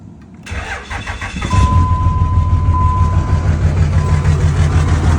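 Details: 2003 Dodge Ram 2500 2WD Cummins diesel, about 50°F, weak batteries: cranks, fires within a second, then uneven lumpy clatter pulsing about three times a second; rough idle with throttle issues, no check-engine light, no smoke, cause unknown.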